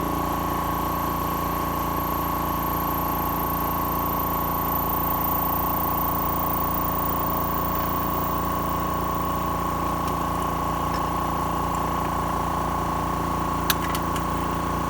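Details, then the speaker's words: Oil-filled Air Venturi high-pressure air (HPA) compressor with cooling fan running: constant, even pumping hum with a fast regular beat, no knocking or rattling; much quieter than a typical home compressor, runs smoothly. "it's much quieter than the uh the normal air compressor that you would usually have at home"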